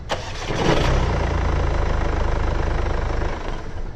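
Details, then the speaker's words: Mercedes CLA 200d diesel after replacing the flywheel with an OES part, first start: brief crank, clean catch and steady, even idle, the previous start-up rattle gone. "let me just quickly hop inside and show you a quick after shot as you can see the rattle is gone"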